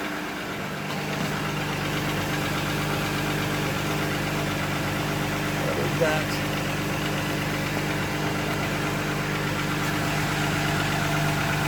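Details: 1997 VW Eurovan VR6 first start after in-car timing chain replacement: cranks, catches at once and settles to a smooth, even idle with no knock or rattle; engine runs healthy, though the fuel filter hose collar was leaking.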